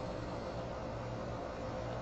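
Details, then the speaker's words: Woodturning lathe with freshly sharpened gouge on off-centre DIY eccentric chuck: steady motor hum with even cutting hiss, no squeak or chirp; initially not cutting well, now cutting cleanly. "if you hear the squeak you have that chirpy sound it was a initially not cutting well but now it is"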